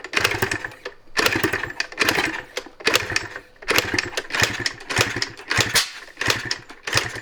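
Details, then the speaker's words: 1986 Yamaha IT200 two-stroke enduro dirt bike, kick-started about 400 times after its oily, black spark plug was cleaned with gas: a kick roughly every 0.8 s with clattery turnover and no catch. It won't start. "Do you know how many it's been? Probably about 400 by now. It should have started by this point."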